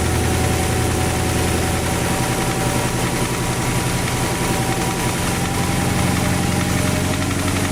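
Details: Porsche Cayenne 4.5 V8 (M48.00) idling evenly with a rough, loosely timed knocking underneath at roughly four per second; engine knock whose cause needs further checking.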